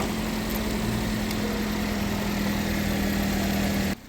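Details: 2015 Chevy Equinox idling just after starter replacement: settles right away into a smooth, steady idle with a constant low hum, no knocks or misses; normal idle after repair.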